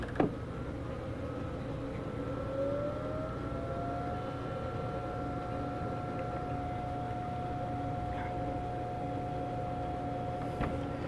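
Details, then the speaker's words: IBM Portable 5155 powered on, first one of the three bought, working on the first try: switch click, then steady fan hum and drive whine rising to speed and holding even, normal startup. "well it's actually working the first time what do you know and screen looks really really good"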